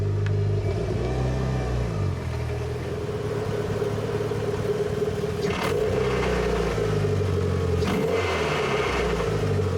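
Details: Car fitted with a twin-disc clutch, pulling away in traffic: low engine drone with uneven shuddering rumble; clutch chatter on take-off typical of twin-disc clutches.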